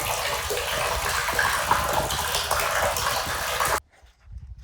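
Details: Spring-fed gravity water line on a coastal forest property, restored intake and pipe after disrepair: steady rushing gush of water pouring into the holding tank for several seconds, then cutting off; line flowing freely, water still a little dirty.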